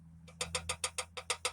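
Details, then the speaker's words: 2004 Honda Civic EX at a constant idle: light, sharp knocks about seven per second over a low hum. The knock is traced to a connecting rod bearing, checked cylinder by cylinder with the spark plugs removed. "pretty much a rod knock is when your vehicle is like uh running and it makes a knock you know it's similar to this type of noise right"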